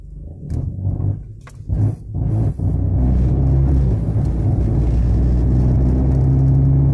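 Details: Honda Civic: after handling noise, a steady low drone with an uneven pulsing throb and vibration; engine running rough, cause not pinned down.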